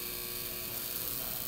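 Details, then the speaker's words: General Electric electromagnetic "50" instantaneous overcurrent protective relay on test jig, current raised past about 4 amps: faint steady mains-pitch coil buzz from magnetic attraction before pickup, which trips near 10 amps; normal. "you can start to hear a buzz and that buzz is the result of the magnetic attraction in the instantaneous relay assembly"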